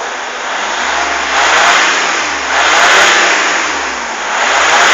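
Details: A broad rushing roar swells and fades with each press of the throttle: an extra noise on acceleration, cause not yet clear. Noise under acceleration.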